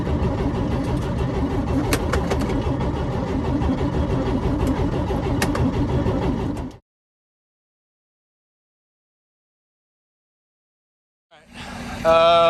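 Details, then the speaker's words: 1955 Chevy high-school car, bagged, being revived: the starter churns steadily for about seven seconds with no firing. It cranks but won't start, and an inline tester confirms it is getting spark. An earlier try gave one pop, possibly a backfire. "update so still not running still hasn't uh fired up"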